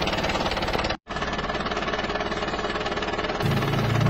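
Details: Isuzu Panther diesel, relatively recent, before repair: harsh clattery idle with heavy knock about three times a second, rough and uneven; worn piston rings with blow-by.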